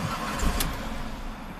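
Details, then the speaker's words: 2005 Chrysler PT Cruiser 2.4 L turbo, 5-speed manual, intermittent start-stall after a shop found wiring damage and replaced the crank sensor. Engine catches briefly, then sags and dies within a second or two; cause not yet found. "Ooh. Did not want to stay running. Okay. Try again."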